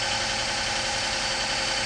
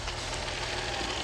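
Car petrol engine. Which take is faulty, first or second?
first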